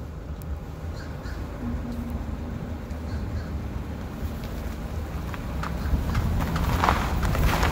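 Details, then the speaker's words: Car turning while accelerating: sharp clicks and pops through road rumble, bunching toward the end of the turn; worn outer CV axle joint, confirmed by dissecting the removed axle. "outer cv axle starts to click or pop and in my opinion this is the stereotypical popping or clicking noise that you'll hear from the outer joint"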